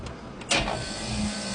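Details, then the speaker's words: Compressor unit after compressor replacement and swapping fan motor wires to correct reverse rotation: a click, then a steady, even hum with no rattle, now pumping; fan starts slightly slow, capacitor suspected. "That sounds way better. And we're actually pumping now."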